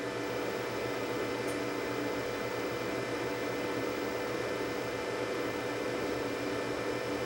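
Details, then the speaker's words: Professional Betamax video deck shipped from the UK and damaged in transit, first power-up: an even, steady fan rush over a faint constant hum, with no rattles, ticks or grinding. It powers up and runs normally. "I'm going to hit the power switch well that was rather uneventful it actually turned on"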